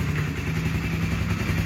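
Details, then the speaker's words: Original 2006 Honda CBR 150 whose engine has never been opened, started on the electric starter: a steady, even, smooth single-cylinder idle with no hunting or stumbling; it sounds healthy. "masih halus banget teman-teman masih halus banget ya belum pernah dibongkar-bongkar ni mesin masih halus"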